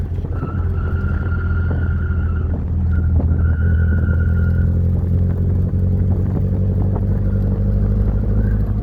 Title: Noise when turning